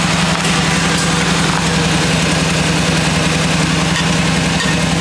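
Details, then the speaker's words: Buick Reatta with hot exhaust after earlier running: loud steady idle with a fast, uneven puffing tick over the low drone; exhaust leak heard, location not yet found. "Uh anyway, I don't know where the exhaust leak is, but it it now I just hear it"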